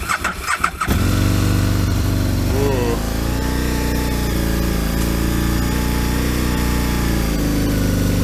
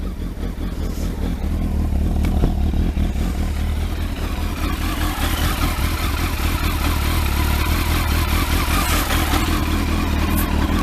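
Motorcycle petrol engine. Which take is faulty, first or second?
first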